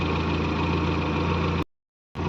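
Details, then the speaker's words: 1961 Morris Minor A-series engine after clutch replacement, new engine mounts, steady bar grommets and new fixings: smooth, even warm idle with steady low beat, no knocks or shake; normal idle. "I think new engine mounts and the new steady bar grommets have stopped the engine shaking quite a lot, and all new bolts and fixings have folded it down. Yeah, that is a very sweet sounding A series engine."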